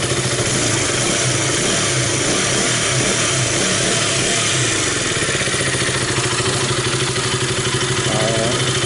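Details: KTM RC 200 single after replacing a leaking fuel pump hose that caused low fuel pressure and stalling: engine revs cleanly and drops back smoothly with no stumble or misfire, running healthy.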